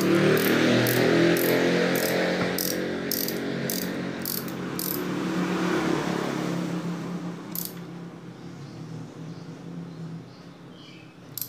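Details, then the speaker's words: Yamaha Mio J scooter that won't start, after new spark plug fitted: electric starter spins the engine with steady ticking about four a second but no firing; no fuel pump sound at key-on, pump suspected faulty or unpowered. "nah ini kemungkinan Hai pompanya rusak Hai atau tidak mau hidup ya"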